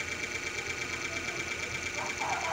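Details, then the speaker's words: Cliffan stand fan that wouldn't keep spinning, tested: steady whirr with a fast, regular light ticking scrape each turn. The noise comes from an excess, poorly pulled internal wire rubbing the plastic inside as the blade spins. "Kaya pala siya maingay. Yung wire pala niya na to, doon sa loob, sumobra, hindi nahilang mabuti. Pero siyang sumasayad yung wire niya dito sa may plastic na to sa loob."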